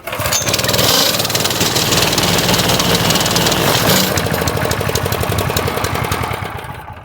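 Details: Honda GX160 on concrete tamper, started after unplugging yellow low-oil sensor wire to bypass faulty sensor, choke off: fires up and runs at an even, busy putter with no misses or stumbles at steady speed; running normally.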